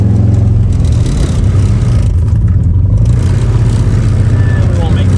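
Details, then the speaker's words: Stock-longblock EJ25 Subaru Forester making 800 whp on a rotated Precision 6870 turbo, limping home after throwing a rod with the oil light on: heavy, lumpy, vibrating low rumble with an uneven beat; the connecting rod has broken. "oh my God bro this is rough I can't believe we made it back how the hell is this thing running"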